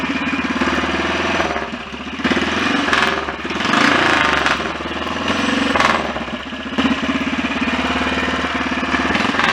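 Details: BSA DBD34 Gold Star 500 scrambler single, after carburettor work: slow even idle with no scraping left; earlier noise likely something just touching; normal idle.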